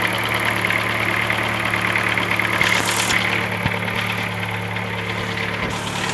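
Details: 2007 Chevrolet Celta, Flex Power engine, idling with an uneven ticking about three a second over a steady hum; abnormal engine noise, cause unknown, owner asking what it could be.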